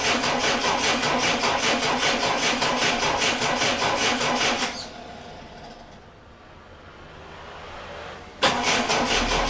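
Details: Triumph Dolomite first start attempt after refitting the camshaft cover and setting static ignition timing, battery reading 12.9 V: two bursts of brisk, even cranking at about two and a half turns a second, with a pause between, never catching or firing.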